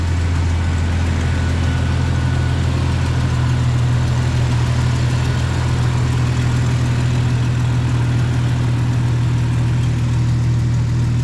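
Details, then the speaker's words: 1995 right-hand-drive Jeep Cherokee XJ with a used, never-heard replacement engine, idling after install: a loud, raw, throbbing exhaust note from remaining exhaust leaks. "Got some exhaust leaks still."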